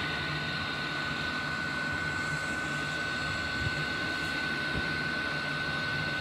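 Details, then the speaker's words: Diesel heater starting on 100% biodiesel, unit spinning up as the burner catches: low burner rumble under a steady fan whine that holds pitch. Normal ignition, soon self-sustaining with the glow plug off. "that's a unit spinning up oh I can hear one in go the question is will it self- sustain let's see if the G plug's still on I think it's way I think it's going"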